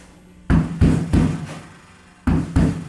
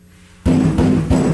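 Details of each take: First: 1965 Mustang body on a 1996 Honda Civic chassis, rear panel knocked after Dynamat sound deadening: short dull thuds with no ringing; the earlier dong rattle is gone. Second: 1965 Mustang body on a turbocharged 1996 Honda Civic chassis: three knocks on the bare rear panel before Dynamat give a hollow, lingering drumming ring. After sound deadening the rattle was gone.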